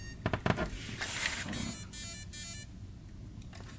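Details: Small AliExpress brushless motor on a $10 AM32 ESC in an RC crawler with a FlySky 4-channel receiver, powered at startup: a few clicks then three short high beeps. Normal ESC arming tones.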